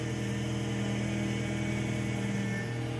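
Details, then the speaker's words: Fiat Uno Vivace at idle, wheel turned side to side: steady whining over the idle from the power steering pump, with the fluid found well below the level and then topped up to maximum. Power steering pump whine from low fluid. "e olha só a zoada aí é fingir o volante para o lado e ir volante para o outro"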